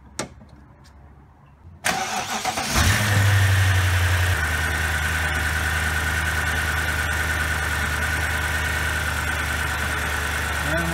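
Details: 2007 BMW X5 4.8 after thermostat replacement (code P0128, fan had run on high), air duct off to check for leaks: starter whirrs, engine catches with a short flare, then settles to a steady even idle; fan not coming on, no leaks.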